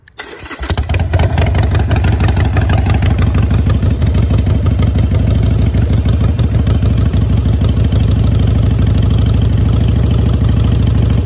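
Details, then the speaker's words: Harley-Davidson V-twin with manual idle air control valve replacing factory IAC, cold start: cranks, catches, settles into slow loping idle about three uneven beats a second; cold idle set too low, check engine light comes on. "cold so you're going to see that check engine light come on because it wants the RPM to be higher so I'm going to raise it back up"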